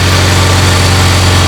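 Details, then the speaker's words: Honda Integra Type R engine, previously knocking, running before teardown; steady even low idle rumble with no tapping or knocking; normal idle. "It's not making any knocking noises at all."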